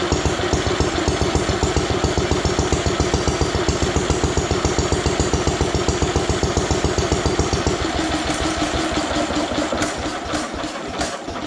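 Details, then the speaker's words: Ronaldson & Tippett stationary engine, owned over 20 years, first run after cleanup, drill-started: even thumping around 146 beats per minute, crisp regular firing with no misses or knocks; runs healthy. "Yep, she runs. That's pretty cool, in my opinion. Owned it for so long, never been able to hear it run before."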